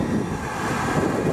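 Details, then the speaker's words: 2005 Goodman GPG10 2.5-ton gas pack, 70,000 BTU input, 78% AFUE, starting in heat mode: after spark ignition, a steady soft roar from the lit burners, even without surging or popping; burners firing normally. "there it goes yeah it's on oh that was awesome yep it's burning"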